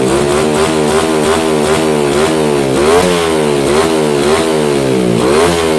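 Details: Yamaha Jupiter MX single with a PE28 carburetor, after carb setting for hard starting: it idles crisply and picks up cleanly on each blip, revs rising and falling evenly with no misfire or stumble; normal running and revving.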